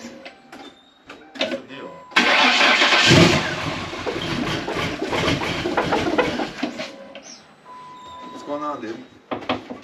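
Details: Crown Vic Police Interceptor with a 7.3 Godzilla V8 swap and Whipple supercharger, first start after sitting 5 months on a booster, freshly flashed with the base tune: brief crank, then a loud blower-heavy roar holding a steady running note; clean first start.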